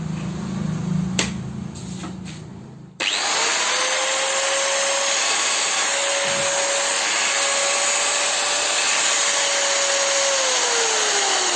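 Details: DeWalt 801 angle grinder during repair: after some handling it spools up to a clean, steady high whine with no grinding or rattle; the grinder runs normally.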